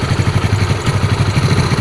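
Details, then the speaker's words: Yamaha Mio carburettor scooter idling after a piston, camshaft and timing part replacement; the camshaft, rocker arm and piston wore and seized from frequent low oil. Idle is now smooth, steady and even with no rattle or knock. "dan coba kita hidupkan lagi nih suara sudah halus lagi dan pastikan olinya naik"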